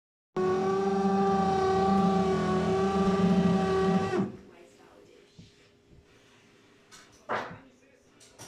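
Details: Fisher & Paykel dish drawer on fast mode about seven minutes before the end, just before draining: a loud, rough, wavering squeak-grind for about four seconds that then cuts off, leaving quiet clicks; pausing and resuming stops it.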